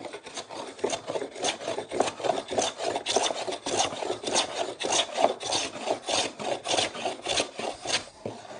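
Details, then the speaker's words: Stanley No. 4 hand plane with corners-relieved blade, skewed across solid timber chopping board: even rasping strokes about 100 a minute, unbroken after initial hit-and-miss passes; blade in constant full contact, leaving smooth surface. "it's constant contact with the blade and the timber"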